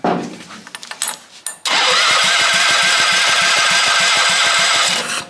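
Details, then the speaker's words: Half-scale NASCAR Mini Cup race car, first start attempt after fueling: the starter spins at a steady rhythmic chug for about three seconds without catching. There is no spark because the on/off switch of the two-switch setup was wired wrong and off. "Yeah, we don't have spark. Turns out someone hooked this up wrong."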